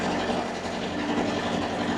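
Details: Steady, even diesel drone with a constant hum and no knocks or misses from a two-compartment reefer unit (C1 front box, C2 rear box) running with both compartments on; normal running.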